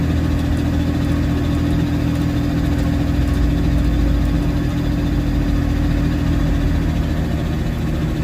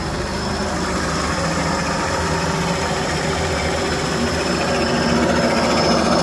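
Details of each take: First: Supercharged engine on a standalone ECU with no idle control valve fitted, restarted after standing about 15 years, smoking: low unsteady tickover that sags and wavers, cutting out at idle; stalling at idle from missing idle control valve. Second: Old engine after long storage, second start, idle control stepper motor removed so it cuts out at tick-over, pedal propped to hold revs; steady slightly raised drone without stumbling, probably burning off old oil; steady fast idle.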